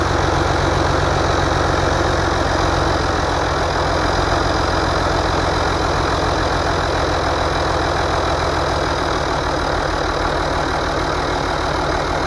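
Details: Rebuilt International DT466 diesel, previously knocking, test run after rebuild without valve cover: steady even idle clatter at constant speed, no deep knock; healthy engine.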